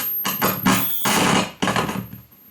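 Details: Rexton SE4416 wooden stereo receiver, age and smoker contamination, potentiometers not yet cleaned: loud ragged static crackle bursts cutting in and out of speakers plus high-pitched noise; dirty pot and switch contacts.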